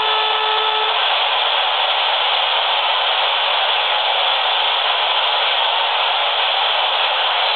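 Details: Standard AM radio near a laptop booting to its startup screen: loud steady hiss and buzz with faint whining tones early on; electromagnetic interference from the laptop, extending about 4 ft.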